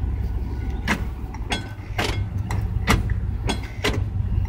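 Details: 1989 GMC truck with burned-smelling transmission fluid, no rear end and a broken front passenger driveshaft. On shifting into park there is a rough engine rumble with sharp metallic clanks about every half second; the cause is unclear.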